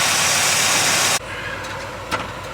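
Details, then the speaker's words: 1978 GM engine, warmed up, after vacuum-gauge timing correction of 2 degrees (had pinged slightly uphill): short, even idle with no misses or knocks under wind rush; runs smoothly. "what your idle's nice two degrees can make a big difference in these things"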